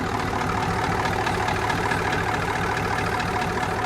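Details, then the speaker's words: Rare big-power diesel truck just revived, with mechanical injectors: after an initial miss cleared, it settles into a steady, even diesel idle clatter with no skips; sounds smooth and is charging, though the AC compressor clutch is unhappy. "Yeah. Hell yeah, boy. It's got the bark. Jeez, it don't sound bad. No, it sounds really smooth."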